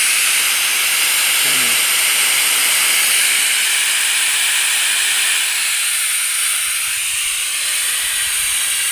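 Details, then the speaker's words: RamAir air compressor with the motor off, tank pressurised: steady loud hiss of air rushing out around the regulator shaft; air leak at the regulator. "again it's squeezing all the air around the [Music] shaft and with it not running you could hear it really dushing"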